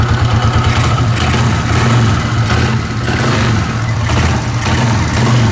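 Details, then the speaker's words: Suzuki Shogun SP 125 FD single-cylinder after replacing a holed filter part: idling and a few even revs, with no intake hiss under throttle; the earlier noise is reduced or gone and the engine runs normally. "bunyinya udahkurang ya hilanglah buudah gak ada normal gak kayak awalnya"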